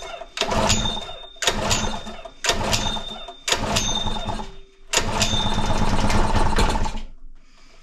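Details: Honda GX120-powered air compressor that had no compression, first start: fires in uneven surges about once a second, running rough, possibly while burning off excess oil.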